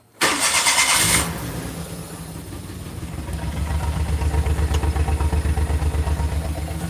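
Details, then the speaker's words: Car idling in the garage just after start with a severe misfire: a lumpy idle with a steady stumble about four times a second. Owner suspects the coil packs; cause not confirmed. "yeah she's missing like crazy I don't want to gas myself out of the garage here"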